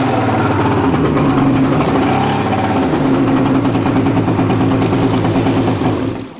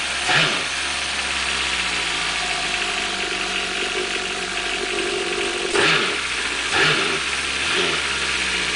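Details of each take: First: Two-stroke jet ski given too much gas before warming up: uneven, stumbling note that surges with throttle, then sags and dies; too much throttle before the roughly one-minute warm-up makes it run badly and stall. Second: Four-stroke jet ski starts easily and settles into a smooth, fairly quiet steady idle; a few brief throttle blips return cleanly. It is quieter than the two-stroke ski.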